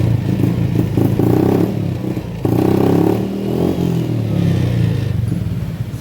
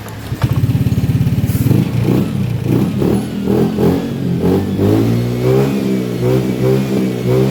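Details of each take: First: Honda Beat FI scooter, struggling up to 40 km/h, rough idle, blipped lightly on the centre stand; revs rise unevenly and sag. Fuel pressure normal at 45 psi, hesitation remains; TPS sensor checked next. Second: Honda Beat FI scooter with earlier hesitation up to 40 km/h and no fault codes, after a throttle/TPS reset adjustment. It picks up cleanly with steady firing, and throttle blips rise and settle without stumbling; it runs normally now.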